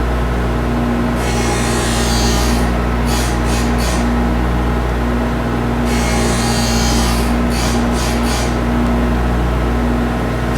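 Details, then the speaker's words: Hockey skate blade profiling: steady motor hum with bursts of gritty rasping every few seconds as the cutting stone, pivoting on a heel bearing, just touches the steel passing the front line; normal profiling grind. "so this this changes pushes and moves the toe in and out and it pivots around a bearing on the heel here so you can hear it just just touching as we're passing that front line"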